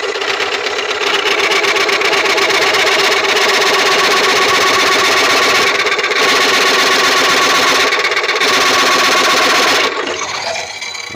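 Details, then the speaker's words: Coring a Tigerwood bowl blank about 15-16 in across and over 5 in deep: fast harsh rattling chatter about four per second over a steady high scream as the coring knife vibrates, arm very hot; tool chatter. "not like that sound I don't like that sound one bit"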